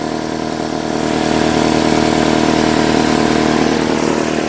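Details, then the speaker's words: 2005 Nissan Altima 2.5L four-cylinder just started after valve cover replacement, new plugs and coils, done to fix misfires from oil leaking into the spark plug tubes: smooth even idle, steady beat, no knocks, misses or ticks; repair confirmed. "watch your fingers because the motor is starting up take time out turn off the radio that's looking good sounds good"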